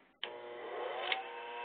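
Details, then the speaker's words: Cutaway single-phase motor starting up: the hum rises as the rotor accelerates, then one sharp click about a second in as the centrifugal start switch snaps open; normal start-switch operation. "When I engage this motor to start, the rotor will accelerate. You will hear the switch click"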